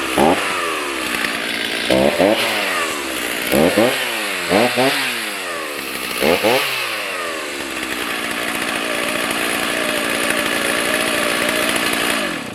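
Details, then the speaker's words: Stihl MS310 chainsaw, warm after 10–15 minutes idling following ignition coil/gap repair (previously stalled when hot); snaps cleanly from idle to high revs about six times, then holds smooth steady full throttle; normal throttle response. "Okay, she's been running for probably 10-15 minutes. We're sitting at idle. Let's see if she still throttles up like she's supposed to."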